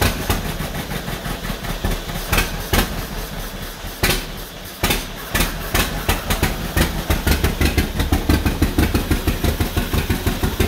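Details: 1949 John Deere B after engine rebuild, first start attempts with used spark plugs: slow, uneven two-cylinder thumping about three beats a second, stumbling midway then settling; rough running, cause not confirmed, possibly low fuel on a slant.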